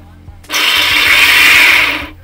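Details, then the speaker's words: Bosch mixer grinder: harsh, loud, high rushing whine for about a second and a half as the motor spins up and strains; worn upper armature bearing, armature binding and overheating, tripping the overload button. "పైన armature కి motor లో ఆ bearing వల్ల ఈ complaint అన్నమాట sound విపరీతంగా వస్తుంది"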